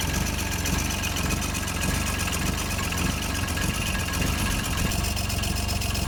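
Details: John Deere 755 compact utility tractor, Yanmar 3TN diesel, first start after rebuild: constant raspy scraping over a rough beat, about 107 a minute; flywheel rubbing on its flywheel shield, which has a bend on top.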